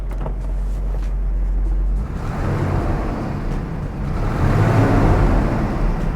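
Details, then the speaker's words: Mid-1970s Mercedes-Benz SL classic, after start: smooth even idle then clean free revs climbing and falling without knocks, misses or rattles; silky, healthy engine, oil pressure 25-30 at idle. "It's a really silky engine. I'll show you some revs here."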